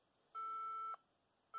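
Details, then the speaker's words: HP ProDesk 400 G3 Mini with non-T i5-6500 CPU (from EliteDesk 800 G2 Mini), standard 65 W supply: long steady beeps, POST code three long, four short, read as wrong power supply. "okay so three long 1 2 3 4 and four short let's just verify what that is uh just a quick check and it does sound like yes it's basically saying hey you don't have the right power supply"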